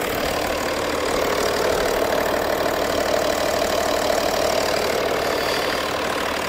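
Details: BMW M550d F10 diesel after coolant-leak repair (water flange): steady, even idle with no misses, knocks or hiss; no leak seen, coolant circulating, owner unsure about bleeding and thinks it self-purges; normal idle.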